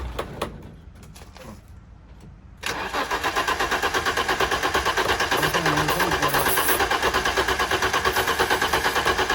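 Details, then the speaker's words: BMW E30 325i cranks steadily, about three turns a second, but never fires; no fuel smell, so owners suspect fuel not reaching the engine, unconfirmed. "Fuel's not coming in somewhere, I think. No. There's no fuel. Yeah, it's definitely. Oh, they should have started with this. Yeah, I think it's just the fuel is not coming in for some reason."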